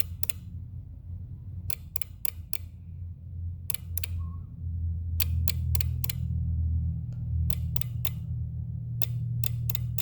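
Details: 2018 Jeep Wrangler JL Rubicon with charger hooked to the aux battery: sharp clicks in quick bursts of two to four every second or two, from the fuse box or under it.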